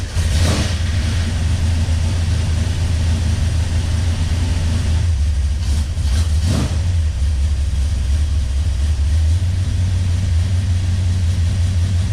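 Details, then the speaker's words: 1971 Plymouth Road Runner 440 big-block, stone cold after sitting unstarted for months, fast cold idle about 1000 rpm with good oil pressure; deep, steady rumble, even with no knocks or ticks, sounds healthy; being diagnosed for timing issues. "sound bad about that. Really needs to warm up. been stone cold and hadn't started in a few months."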